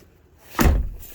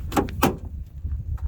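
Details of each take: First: 2007 Mercedes-Benz Viano W639 front door after replacing the worn door holder catch strap (check strap): a single soft thunk through the detent, no more loud clicking, now working properly. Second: 2007 Mercedes-Benz Viano W639 front door opening and closing with sharp, loud clicks, two close together then another; most likely cause is a worn door holder catch strap mechanism needing replacement.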